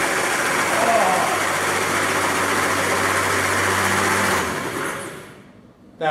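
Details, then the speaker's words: 1967 Triumph Spitfire junkyard engine, spark plugs out: quick, even starter whirr with no compression pulses, then it winds down; normal starter cranking. "all right so we know we've got starter let's go ahead and put our plugs back in and see if it sounds like we have compression"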